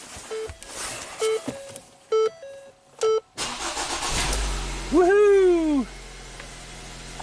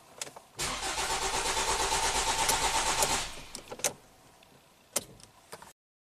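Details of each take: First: 2017 Ford Transit Connect 2.5L four-cylinder, 45k miles, after fixing cold crank no-start with P0116 and fans always on; coolant sensor reads 60°F, ambient 42: chimes, short crank, quick catch and flare, smooth steady idle; no parts needed. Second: 2017 Ford Transit Connect 2.5L four-cylinder, 45k miles, cold start with P0116 set and cooling fans on constantly: starter cranks steadily about two and a half seconds, about three pulses a second, never catches; crank no-start.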